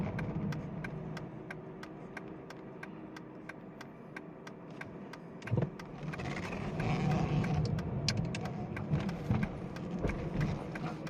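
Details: 2009 Aston Martin DB9 Volante: sharp, even clicks about three times a second over a low engine hum while the steering wheel turns; steering noise of unknown cause.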